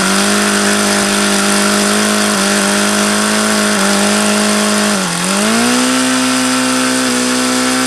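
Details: HP VT 21 rotary-valve four-stroke model engine, bought used and run about 25 times: steady high buzz that dips briefly and comes back even higher instead of settling. It won't idle below roughly 4500 rpm however lean the low-speed needle is set.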